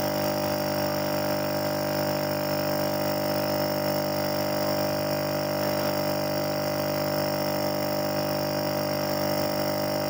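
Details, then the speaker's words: Refrigerator compressor that had hummed without starting, drawing 5.8 A instead of about 0.8 A, overload and PTC tested good, windings tested good: after repair on its original PTC, smooth steady hum, runs normally. "Sekarang kita tes lagi apakah dia menyala dengan normal. Oke, ternyata menyala ya."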